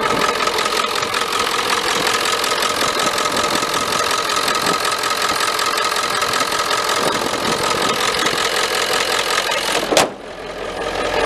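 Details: 1995 Ford F-350 7.3L diesel with hard-starting complaint, mic down by the starter. Steady idle with a busy light clatter and no speed change until it cuts off abruptly. Charging normal, oil pressure good; owner suspects a bad spot on the starter.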